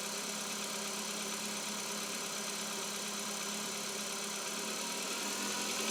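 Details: 2021 Chevrolet Cobalt, engine not warmed up: a steady ticking knock about four per second over a busy, clattery top end at cold idle. Engine knock when cold, cause unclear.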